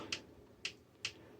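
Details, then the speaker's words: Marantz PM7200 amplifier after a previous repair, with no sound except on source direct. Other source selections click the relay, but the tape loop relay stays silent. The fault is suspected on the relay board, not confirmed. "so any source you can hear the relay clicking but one here this looks like a"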